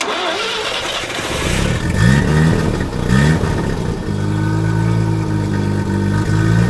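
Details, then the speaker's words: 1983 Mazda RX-7 FB phase 2 rotary barn find, sat about 30 years, first start: cranks, catches and settles into a smooth, even idle with a couple of light throttle blips; normal rotary idle. "all right listen to how smooth that is that's really smooth really smooth"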